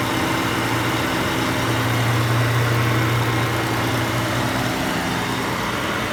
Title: engine ticking noise